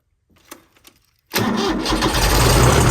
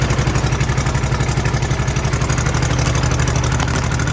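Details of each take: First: Mid-1980s Kubota B7200 subcompact 3-cylinder diesel tractor, cold start at about 15 degrees ambient after glow plugs, no fuel additive: brief cranking, then it catches into a loud rattly clatter typical of an old diesel started cold. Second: Kubota B7200 subcompact tractor diesel, cold start at 15°F after glow plugs held a minute, no fuel additive: even loud clatter at steady cold idle, a couple of pulses a second; normal cold-start clatter.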